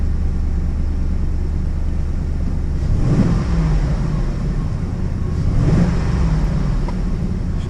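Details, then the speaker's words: Ford F-150 V8 with a dead skip and P030X misfire code, coil moved to cylinder five to test: deep uneven idle with an irregular stumble, one cylinder misfiring. "got a miss i'm going to take it out for a quick drive unless that code fires and then see what we end up with but it's definitely unhappy"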